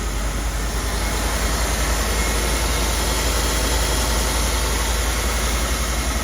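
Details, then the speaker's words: Rolls-Royce Corniche started after 14 years sitting in a barn, once more fuel was added: a deep, even idle with a soft steady pulse and no misses, knocks or ticks; normal smooth idle. "Listen to that, how smooth is that? As soon as I put that extra fuel in, it's made all the difference."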